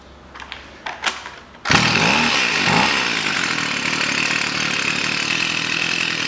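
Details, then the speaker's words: Stihl FS 55 two-stroke trimmer that would not start because of too much oil in the fuel mix, run on fresh fuel; a few sputters, then a steady high-pitched buzz once it has warmed up. "все работает маленькой бы работала тепленькие стала пробую еще раз"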